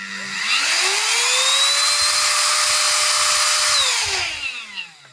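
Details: USB-C charged handheld desktop vacuum cleaner, tested partly reassembled after teardown (no real fault found): motor whirs up to steady high whine, holds evenly a few seconds, winds smoothly down; motor runs strong.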